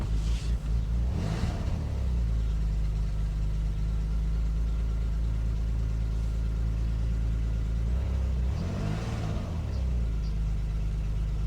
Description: Strange buzzing noise my v6 gt makes on sub zero starts. Throttle response poor at the same time.